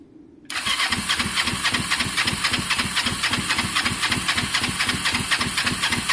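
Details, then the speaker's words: Kawasaki ER5 twin cafe project, air filters refitted: steady starter churn about four pulses a second, never fires, sounds unhappy; owner suspected plugs, then both showed strong spark, so suspects fuelling problem in carbs; crank no start. "something's changed guys um something's changed you can hear it's just not happy i i don't know what it is"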